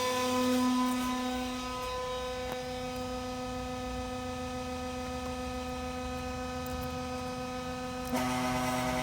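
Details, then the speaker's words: Radiator fan driven through a solid-state relay by an MS3Pro/Megasquirt ECU on a car battery, at 25% PWM duty cycle: a steady low hum with a thin buzzy edge, PWM whine from the fan motor at partial duty. "let's go ahead and move that up to 25 percent duty cycle and you can hear the sounds range is actually driving the pan now but you can hear that hum to have voltage"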